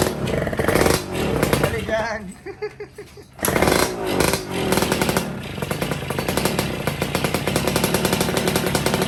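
Raspy, buzzing two-stroke running steadily after a short dip, revving cleanly; the engine starts and runs fine.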